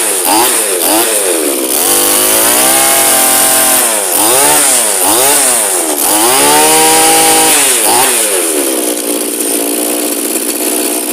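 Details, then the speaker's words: Straight-shaft two-stroke line trimmer/brush cutter bought in working condition: crisp blips up and down several times, then an even idle. Picks up cleanly and runs healthy. "okay it's a winner not much wrong with that one okay guys"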